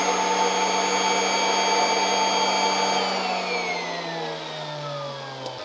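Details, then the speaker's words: Kirby Avalir 2 vacuum turbo sander, hose released from full stretch around the G6: steady whine sliding up in pitch as the sander speeds up; stretched hose reduces airflow and sander speed. "unstretched all right you could hear there's a lot more difference with that sander it's a lot easier to see on it"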